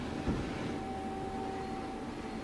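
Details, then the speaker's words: 2010 Mighty Viper VT36CL-1500 CNC lathe with a 12-station turret, after spindle runs at 200-460 RPM; quiet steady drive hum at one even pitch, no grinding or knocks; Z-axis travel sounds good. "All right. Z-axis sounds good."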